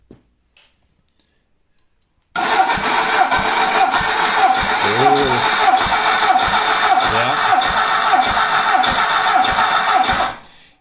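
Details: VW Beetle engine (Baja Bug) fresh rebuild, break-in oil with zinc additive, compression test on cylinder number four: even whirring crank with steady pulse about 1.5 per second, no misses or clatter; healthy, reads 180 psi.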